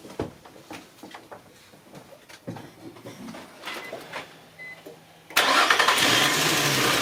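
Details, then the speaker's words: 2004 Infiniti FX35 after cleaning the mass airflow sensor and air filter to fix a lean-condition rough idle: handling clicks, then engine starts and settles into a steady, even idle without stumbling or shaking. "so far so good no rough idle no shaking is easy so I guess we fix the problem"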